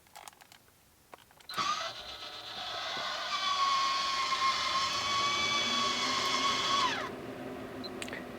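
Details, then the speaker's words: Maxxfan Deluxe roof fan in a motorhome, about a year old: the motorized lid opens with roughly five seconds of rough, creaky whirring from meshing plastic gears. "creaking noise when you open it, that's terrible, that's really, really bad, of course I'm aware that that's acceptable because of the price-performance ratio because it's just plastic gears coming together, but it's still annoying"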